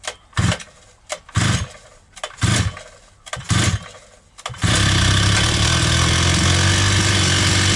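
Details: Oil-soaked brush cutter (trimmer) in for poor starting and popping, suspected crank seals; carburetor untouched, primed, choke on, air filter not yet fitted: five or six pull-start bursts, then catches and holds a steady, even buzzing idle with no popping, normal.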